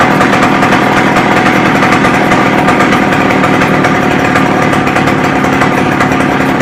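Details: McCulloch 610 chainsaw after a carb cleaning and turning the high-speed screw out another quarter turn: it holds a high, steady two-stroke scream at full revs without sagging or burbling; runs well.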